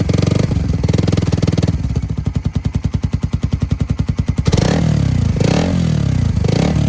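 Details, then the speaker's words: Suzuki Satria fuel-injected motorcycle idling with 3-setting DB killer used over 2 years, valve open: loose metallic rattle about three per second from iron insert plate shaking in exhaust flow; stops when held; iron glue fix failed. "Jadi, suaranya kurang bagus karena bagian besi ini, jadi bunyinya seperti ini."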